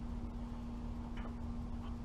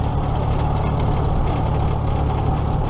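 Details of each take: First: Allis-Chalmers tractor being prepped for a threshing show: steady low engine drone with faint quick ticks as the alternator fan lightly hits the hood; fan needs adjusting. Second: Old tractor (the H) after alternator repair (loosened nut fixed), running for a ride before the 2017 Nowthen Threshing Show; steady even low rumble, no knocks or misses, smooth and healthy – normal running.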